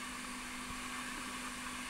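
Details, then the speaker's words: Lloyds 8-track player after cleaning, lubrication, head demagnetizing and repairs: only tape hiss and faint hum between songs, little crosstalk, healthy playback. "You can really listen in between songs for the crosstalk, but that's pretty good."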